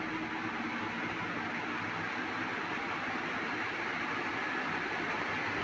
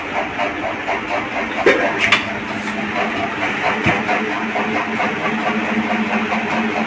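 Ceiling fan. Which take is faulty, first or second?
second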